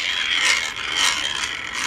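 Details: Portable handheld coffee grinder just cleaned and reassembled: fast, even dry clicking and crunching as the handle turns, no binding or stalls; noise returned after clearing stuck grounds, grinder cutting normally.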